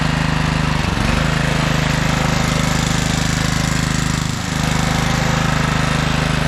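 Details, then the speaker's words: 1997 Craftsman II 30-inch rear-engine riding mower with a 13.5 hp Tecumseh single, after electrical no-crank repairs: steady, even rapid thump with only two brief dips; runs well. "yeah we have a good runner and I'd imagine this thing would drive just fine"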